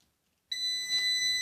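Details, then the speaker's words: Orvaldi INV-12-840W UPS shows error F05 and sounds a steady high-pitched alarm at startup with no 220 V output; shorted IRF3205 and KGF75N65KDF transistors found. "він пищить нчик таке освітлення зараз не дуже і f05 догори ногами"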